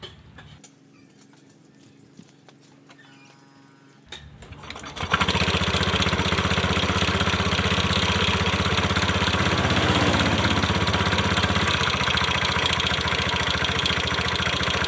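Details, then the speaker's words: Honda Beat F1 scooter with a rattling "kletek" noise starts and runs with a quick, even clacking about four per second; mechanic suspects the final drive (gardan) and CVT at the front, not yet confirmed before teardown. "di depan yah teman-teman sepertinya permasalahannya ada di bagian gardan enggak dan CVT"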